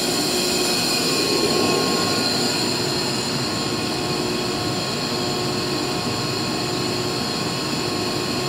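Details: Used 2005 Boge 40 HP variable-speed-drive screw compressor, 480 V, 79,131 run hours, 1,909 loaded hours, at max rpm building pressure, about 68–70 dBA: steady high whirring whine over constant air rush, no knocks or rattles; normal full-speed running.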